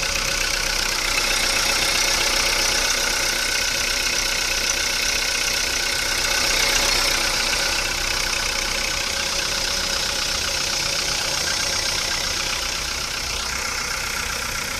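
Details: VW Polo Sedan on Lukoil Genesis Armortech 5W-40, 5,000 km on this oil, started after two days parked. Steady idle with a bright, fast metallic chatter and whir throughout. Owner suspects the belt rollers; unconfirmed.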